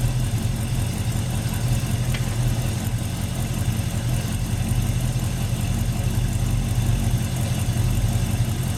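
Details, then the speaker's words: 1982 Ford Mustang GT Foxbody, first start after full revival with all-new parts: steady, even low rumble with no knocks, misses or hunting, good pressure; normal idle. "all right listen to that we got a lot of pressure"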